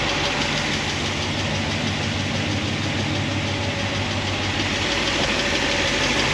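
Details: 1976 Corvette V8 with solid roller lifters on a hydraulic roller cam, warm idle after a heat cycle, lash reset from 10 toward 5 thousandths: steady light ticking and clatter, less than before, from pushrods rubbing their guide plates.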